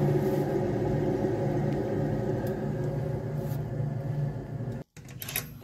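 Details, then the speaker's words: 2011 Nissan Sentra, rear wheel jacked up and spun: a low droning hum with faint pulsing as the wheel turns, fading as it slows. Removal confirmed the rear wheel bearing is worn. "nos comenta el cliente que hace un ruido extraño en la llanta trasera lo que hicimos fue calzar y ahorita le vamos a dar vuelta para checar que no sea El balero"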